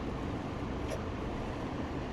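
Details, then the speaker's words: Craftsman 917.388834 push mower, Briggs & Stratton Classic engine, running after an OEM Briggs carburetor was repaired with parts from a faulty aftermarket carb and a new primer bulb fitted; a steady even drone, normal running. "So it works now. There was something screwy with this old carburetor."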